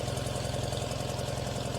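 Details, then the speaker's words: Tractor idling rough with fast, uneven exhaust pulses and a lumpy beat; exhaust temp gun readings show front and rear cylinders about 380, middle two about 280; owner suspects weak middle cylinders, not confirmed. "So let's see, the front and the rear were the same at about 380, and the middle two were the same at about 280, which probably makes sense, but that could be that the middle two are the ones that aren't quite running right."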